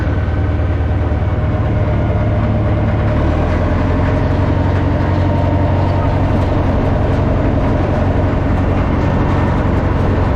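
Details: Old Caterpillar 955L track loader, long unused, after topping up transmission and another reservoir, possibly the final drive, driving: deep, steady diesel drone with even low throb, no knocks or grinding; pulling smoothly, healthy.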